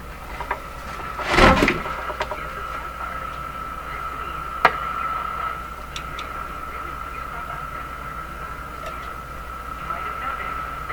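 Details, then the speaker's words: Canadian Philco 409 (46-350) portable tube radio after restoration and alignment: a steady high ringing howl persists with taps and clicks over it. Microphonic feedback, with the output tube suspected but not confirmed. "ooh something microphonic feedback sounds like the output tube is microphonic"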